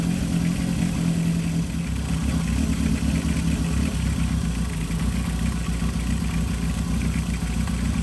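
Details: 1978 Kawasaki KZ650 C four-cylinder, revived after years unrun, carbs just synchronized before air cleaners fitted: even, steady note picking up cleanly on throttle and dropping back smoothly; carbs well balanced.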